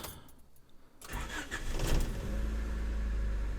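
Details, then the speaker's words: Honda Civic EF hatchback after swapping its leaking re-welded exhaust manifold for one borrowed from a wagon: brief crank, then a low, even idle rumble with no puffing or ticking leak; much quieter, accelerates better. "much quieter definitely feels like it's running better just from that acceleration"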